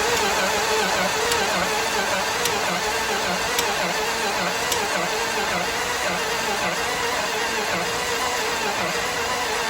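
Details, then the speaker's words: 1970 Dodge Dart Swinger 360 V8, previously seized and full of rainwater, cranking with header loose: lumpy rising-and-falling starter beat with sharp snaps, uneven compression, and watery snapping as water is pushed through the transmission. "First, well, it doesn't sound all that even. It's kind of going up and down and up and down. And there was an obvious snapping watery stuff getting sent through the transmission."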